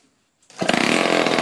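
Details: 1949 Lombard chainsaw with Homelite-powered motor, all internals new after seizure, first startup: catches after short silence and settles into steady, rapid two-stroke buzz without sputtering; running healthy.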